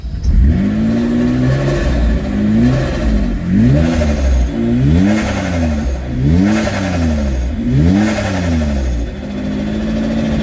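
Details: Engine on its second start-up test run, fitted with no idle control valve: it only keeps running on repeated throttle blips, revs rising and falling, and cuts out at tick-over.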